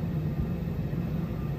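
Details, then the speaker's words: Temperzone OPA 550 package unit after replacing two burnt UC8 control boards; smooth low hum and steady airflow rumble from indoor fan blower motor, no rubbing or ticking; normal indoor fan blower running. "you can hear the fan motor indoor fan blower blower what the that indoor fan motor running"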